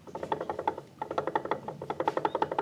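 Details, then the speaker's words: Honda PCX scooter, fairly new, complaint of knocking while riding: with the CVT pulled apart, the part is rocked by hand, giving sharp plastic-like clicks about six a second; worn bearing with free play in every direction. "Kalau kita goyang loh mungkin apa namanya? Nah, ini loh is kayak gini suaranya loh."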